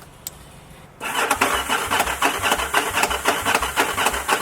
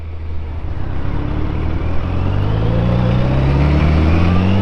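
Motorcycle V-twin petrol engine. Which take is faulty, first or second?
first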